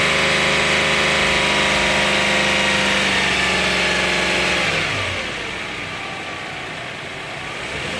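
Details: 2008 Subaru Outback 3.0 EZ30 flat-six: smooth, even engine note rising and falling cleanly with revs, no power steering whine; normal healthy engine revving.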